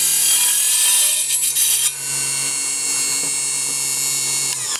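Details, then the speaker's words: Mini table saw set to 24 volts (about 3,000 RPM) cutting 1x3 pine: steady high whine holds pitch right through the cut with no bogging; motor has plenty of power, normal cutting under load. "well that worked very very well so you didn't hear the motor slow down at all it's clearly got enough power to go through a 1in uh piece of pine so that's good"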